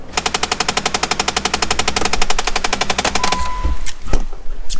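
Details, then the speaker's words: Jeep Wrangler, under-dash: rapid even clicking about three per second while changing the climate control setting, stopping abruptly; blend door actuator, likely a broken gear tooth. "knocking noise it sounds like it's coming from the dash well this is probably the video for you because it is most likely your blend door actuator"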